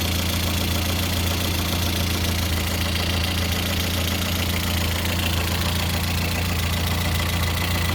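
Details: Lada Kalina 8-valve engine (11183) at idle, steady low drone with a faint light tapping running through it; owner asks what is knocking, source not yet pinned down.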